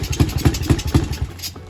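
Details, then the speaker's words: Yamaha TTR-90 pit bike after carb jet cleaning: catches with a few uneven chuffs about four a second then dies within a second; runs only with hand over carb intake, so starved of fuel; stalls from faulty carburetor, likely needing another clean. "so it'll start on its own gas but it doesn't want to run on its own gas so yeah i'll probably get probably gonna have to clean out the carb again for like the third time"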